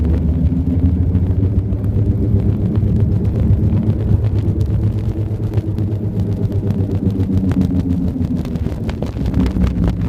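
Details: 1999 Subaru Legacy 2.5 GT while moving: a low droning rumble with a slow rhythmic throb from the rear under the road noise. The cause is unidentified.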